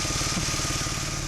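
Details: BMW E46 M54 straight-six idling after fuel filter replacement, checked underneath with no leaks: smooth, steady idle with even low pulse, no misses or surges; running cleanly.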